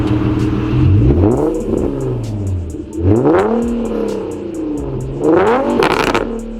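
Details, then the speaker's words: Infiniti G37 petrol V6 revving the day after an exhaust leak was fixed: three quick blips rising and falling cleanly with a deep, even exhaust note, sounding meaner and revving better than before. "all right guys is the next day and as you can hear from that little rev clip it definitely uh sounds better it sounds meaner almost like it revs better uh there's it just sounds better i don't really know how to describe it"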